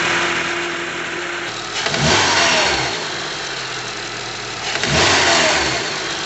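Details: 2012 Honda CR-V, noise near the valves/top of engine, like a VTC actuator or timing chain: brief knock at start-up then settles to idle; caused by a stretched, worn serpentine belt, pulleys checked fine.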